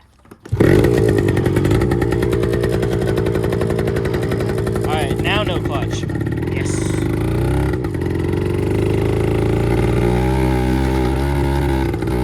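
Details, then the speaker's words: 1974 Kawasaki MC1 two-stroke revived by fitting a new spark plug after cleaning the old one failed; crisp, even buzz picking up smoothly with throttle, no misfires or knocks. Normal running. "seems fine I guess it was just a spark plug um usually you can clean them up right away and they'll stay good"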